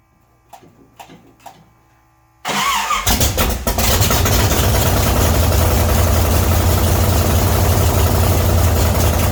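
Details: 1966 Chevy C10 rat rod, start after adjusting the oil pump and refitting the distributor, timing not yet checked with a light: a few clicks, then the starter catches and it fires into a strong, steady low rumble; healthy idle.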